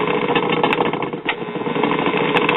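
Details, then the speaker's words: 1950s Waters-Conley (Phonola/Silvertone) record player with dead cartridge: rough, churning rumble with uneven texture and no music; noisy idler drive from dented, notched rubber drive wheels. "yeah it needs some serious help although I will say the sound of the sound of this noisy drive mechanism is actually more entertaining than with the Merkel here"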